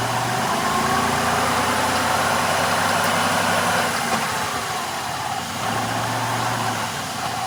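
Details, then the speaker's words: 1996 Grand Caravan, recorded between engine and transmission while revving up, transmission fluid leak visible, rough uneven knocking three to four times a second from the transaxle; owner believes a differential pin, unconfirmed. "Oh, my God. If that isn't a differential pin, I don't know what is."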